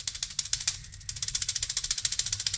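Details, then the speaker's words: Ford Mustang at about 2,000 rpm under load while driving, before header gasket replacement: sharp rapid ticking puffs, about ten per second, from exhaust escaping past the header flange; exhaust manifold gasket leak. "So the problem was when I would drive the Mustang, and it would be about 2,000 RPM under load driving down, you'd hear this."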